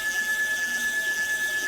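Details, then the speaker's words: CNC machine after upgrade to a 4-axis TB6600 parallel-port controller with MACH3 and wireless handwheel: steady high whine from holding current and even hiss as the X axis jogs continuously, no skipping or stalling; normal operation. "so if i spin the little um wheel then the machine will move hopefully there you go so it's in a continuous mode"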